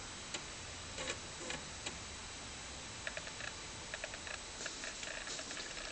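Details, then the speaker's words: Commodore Amiga 500, about 25 years old, loading a test disk from Workbench 1.2: irregular sharp clicks in short bursts as the head steps across the disk; floppy drive working normally. "but it does demonstrate that the disk drive is working as it should be. You can hear it clicking away there."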